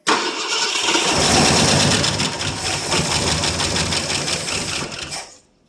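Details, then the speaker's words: 1967 Ford LTD 390 FE V8, first cold start in 12 years with gas down the carb: fires and runs briefly with fast steady clicking from dry old lifters, then dies. "Hear the old lifters clicking. They definitely are dry."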